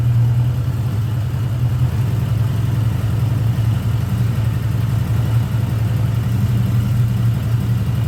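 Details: 1979 Honda GL1000 Gold Wing flat-four just after valve seal replacement to fix excessive smoking: low even hum ticking over steadily, no misses or knocks; normal idle.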